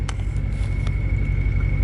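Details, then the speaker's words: Procharged (supercharged) Ford Mustang Mach 1 on a revised base tune, idling smoothly with a low even rumble and only a faint steady supercharger whine; wideband reading around 11 AFR, idle sounds normal. "I mean, everything looks normal. I mean, obviously this and this, but this has been there like for the longest time. So I mean, right now it's almost running like a normal car, and you barely, actually you don't even hear the Supercharge whine or whatever."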